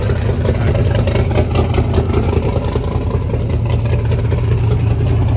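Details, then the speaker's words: Blazer's Texas Speed blower V8 right after reconnecting the missed spark plug wires, before warm-up: loud, lumpy idle with deep steady pulse, no knocking or misses, 60 psi oil pressure at idle. Normal idle. "Alright, 60 psi at idle. Let's let it warm up for a little bit, see what it does."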